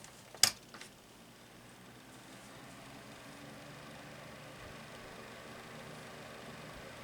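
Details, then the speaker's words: TradeWinds 10-inch box fan switched to low: after a single click, only a soft, even airy hush with no ticking or rattle, still moving good air; normal quiet low-speed running. "it's still a really nice breeze, and it's quite quiet."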